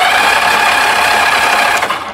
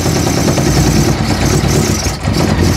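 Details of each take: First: 1982 Honda Goldwing GL1100 barn find, sat about 20 years, wires jumped at the plugs to test spark: starter spins engine briskly with an even whir but never fires; no spark, ignition coil to be checked next: crank no start. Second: 1982 Honda Goldwing GL1100 flat-four barn find, sat 20 years, first start: settles into smooth busy idle, no knocking, slight stumble near the end; runs well despite a stuck float bowl.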